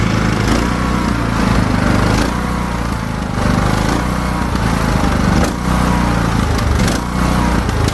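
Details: Craftsman T1600 riding mower after new carburetor replacing a corroded one, fresh fuel, mowing: engine note keeps swelling and sagging every second or two instead of holding steady; surging, cause unknown to the mechanic.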